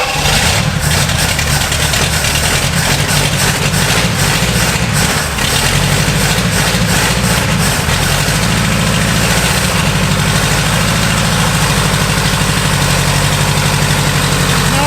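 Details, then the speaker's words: Seized, abandoned barn-find Pontiac V8 with points ignition, first run after 20 years on old gas fed from a bucket: a loud, lumpy, stumbling idle, seemingly firing on about four cylinders and dumping lots of fuel; timing suspected way off. Rough running misfire. "Sounds like there's about negative 1,000 timing. She sounds like she's running on about four."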